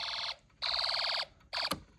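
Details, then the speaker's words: Snap Circuits hobby fire alarm, run on two battery packs, after a pull station is pulled: shrill pulsing tone in half-second bursts with short gaps; alarm sounding normally. "Let's see what happens if I pull a pole station."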